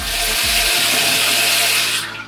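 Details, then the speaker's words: Mixer tap after replacing the cartridges (kran-buksy): steady, even hiss of running water with no hum or vibration; tap no longer drips or hums. "смеситель Не гудит кран-буксы работают идеально"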